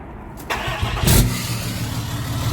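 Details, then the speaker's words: 6.7 Cummins hotshot truck after failed injector replaced, previously missing on one cylinder: quick crank, clean catch into steady even diesel idle with no miss, free revs with VGT spooling; normal start and idle, retune still needed. "Yeah. No miss. Give her some free revs. Sounds good."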